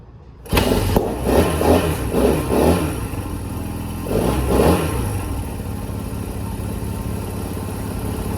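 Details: Small single, revived after new battery, valve adjustment and fresh gas: fires after a couple of cranks, blips a few times, then settles into steady even idle; healthy.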